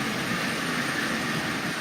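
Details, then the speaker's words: Marx micro motor, modified with adapter, pulling 12 cars: steady even whirring hum with light wheel rattle, no surges or catches; normal running under load. "so just with the micro motor this is pulling 12 cars by itself as you see so these micro motors have a respectable amount of power"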